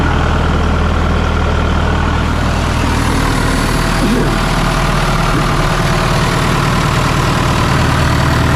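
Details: 1997 Sullair air compressor with a diesel engine and a John Deere reman injection pump, just bought at auction: steady, even low diesel idle with a smooth, unchanging beat and no knocks or misses; healthy.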